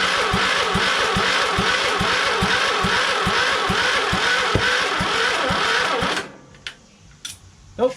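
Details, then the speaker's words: Craftsman LT2000 lawn tractor repowered with a Kohler Courage engine, start attempt, choked, fuel and oil in: the battery is running down, so the starter drags slowly and the engine never fires. Slow crank, no start. "okay it won't start and uh batteries kind of dying so i need to recharge and uh didn't even have any signs of starting huh but the battery did seem kind of slow though"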